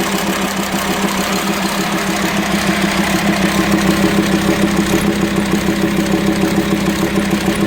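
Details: VW Transporter T5 2.5 AXD/AXE diesel idling with a rhythmic clatter about twice a second over a droning hum; worn, broken camshaft from lack of lubrication through leaking plugs, causing rough idle, low power and metal dust in oil.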